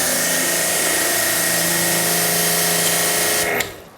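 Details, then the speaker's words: Pressure washer test-run after repairing the hose with a new quick-disconnect fitting: steady high motor whine with an even pump hum about three and a half seconds, then clean shutoff; no leaks. "right, so that didn't leak at all."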